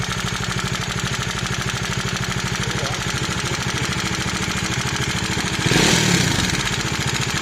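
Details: 2019 Bajaj Dominar 400 single-cylinder engine idling with a steady ticking knock from the top end; fixed under warranty by replacing the camshaft and rocker arm.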